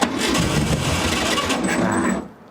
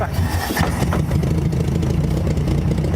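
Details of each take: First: Barn-find VW Beetle sat for decades, plugs and wires good, starting fluid sprayed in the carburetor as it lacks fuel: fast rough cranking with a few sputtering catches for about two seconds, then dies; cranks but does not start. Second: Barn-find VW Beetle, air-cooled flat-four, sat for decades, running on its own after first start with starting fluid, a little smoke: steady, even low putter with no misses or knocks; normal idle.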